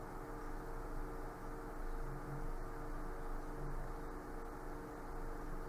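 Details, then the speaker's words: Cooler Master MasterAir Maker 8 CPU cooler under full Prime95 load, recorded by the camera: soft steady airflow hiss with a faint low hum, no ticking or rattle; a normal, quiet cooler. "Portanto, esse é o som que é o ruído provocado por isto quando estava a correr o Prime 95."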